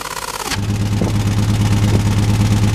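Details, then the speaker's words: Jeep that started violently shaking with no power under about 2000 rpm: loud low engine drone with an uneven pulse of roughly three lumps a second; misfire, cause unconfirmed, with a blocked catalytic converter among the suspects. "okay guys so you can see it's got a misfire and something's not right"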